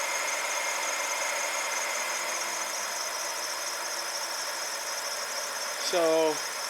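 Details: BMW N62 V8 after a MAF sensor replacement for MAF and fuel trim codes, fully warmed up: smooth, even idle with a steady tone and no misses or hunting; it sounds healthy.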